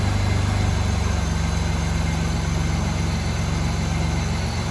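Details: 2000 Chevrolet Camaro after new battery and battery hold-down repair: engine starts and settles into a smooth, even low idle with a steady beat and no misses or knocks; healthy.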